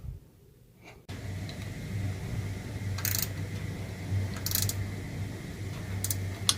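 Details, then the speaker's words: Newly replaced boiler heating circulating pump, wired to run on boiler call: after a second of quiet it starts into a steady low hum with faint high tone, water circulating through pipes; normal running after replacement. "And as you can see, it's running nice and smoothly, and a job well done. I don't know if you can hear the water, but it's circulating through these pipes now."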